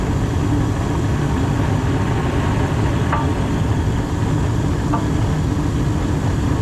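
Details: Gas furnace in a house that had no heat on a cold morning, running after the gas was turned on and the pilot lit, with the blower running. Steady low rumble of burner and blower air with no rattles or surging: normal operation.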